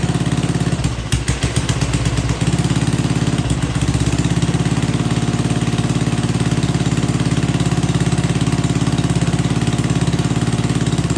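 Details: Old Troy-Bilt Pony rototiller running on old, stale-smelling gas with no fresh fuel added: single-cylinder putter stumbles briefly early, then settles into an even, steady beat; running properly.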